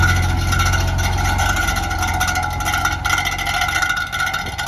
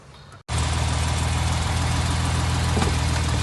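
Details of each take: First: 1970 Mercedes 280 SEL after a one-block drive: fast, uneven clunking at about three knocks a second over idle as the detached power steering pulley, with a loose nut where the belt came off, hits the fan; steering went tight. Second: 1970 Mercedes 280 SEL after power steering pulley and belt repair and reinstallation of the repaired radiator, running about 5 minutes: a smooth, even low idle rumble with no knocks or squeals and no coolant leaking. The engine is idling healthily.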